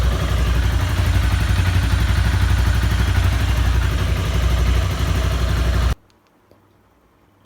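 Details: Honda CBR250R single-cylinder motorcycle with 20,000 km, started after long lockdown storage, idles with a steady, even low thump and no tick or knock from the top end; previous clicking/knocking problem now solved.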